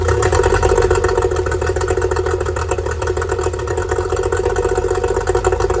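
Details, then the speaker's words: Yamaha two-stroke outboard after fixing oil leaking out of the bottom of the carburetor: no more oil coming out; fast, even two-stroke burble holding a steady idle with no misses or stumbles; normal idle before water test. "we can see no more oil hammering out the bottom carer sounds good go put it in the water guys see what she can do"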